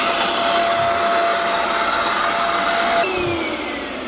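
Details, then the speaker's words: Shark Euro-Pro vacuum cleaner after emptying a plugged canister: steady high motor whine with thin strained airflow shifting partway; still weak suction, traced to a blocked hose. "still does not appear to have a lot of vacuum"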